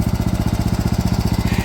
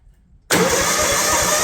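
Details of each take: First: DR all-terrain mower with a Kawasaki FV420V engine after sitting for years: quick, even single-cylinder pulses with no misses or knocks, running healthy. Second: DR all-terrain mower with Kawasaki FV420V engine, sat for years, new battery: cranks, catches suddenly on starting fluid and runs rough and loud over a second; it fires, so fuel delivery is suspected.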